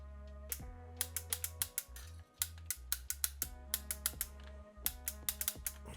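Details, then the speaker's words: 1985 Tomy Chatbot robot, speaker unplugged, first power-on during repair: low motor hum broken by irregular ratcheting clicks and stalls as the speaking mechanism tries but fails to start; owner suspects the motor. "I think it's trying its hardest to start the speaking mechanism and this slider goes up when he speaks might be the motor that's got a problem"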